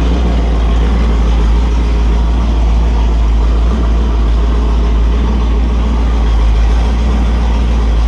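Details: Holden 355 stroker V8 on a bench test stand, new engine for an HQ Holden (flat-top pistons, Sig Erson TQ30 cam, HEI, Edelbrock carb, Aeroflow single-plane, 9.5:1), bedding in cam and lifters: a deep, steady rumble at a fast, even pace with no knocks, misses or ticks. Oil pressure is 30 psi at idle, no leaks; healthy.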